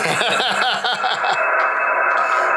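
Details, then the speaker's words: Newly built 40 meter QRP CW Pixie kit transceiver while keyed: warbling pulsing tones then steady buzzy whistle through the headphone jack while transmitting; odd tones of unknown cause, possibly interference. "But we are hearing very odd noises through the headphone jack. But it's transmitting."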